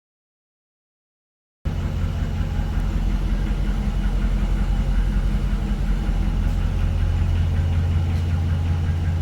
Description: Hemi 5.7 engine ticking on idle,but with idle rised noise disappeared, head was removed to check the lifters and all was good,problem found cilinder damage duo to poor maintenance and engine abuse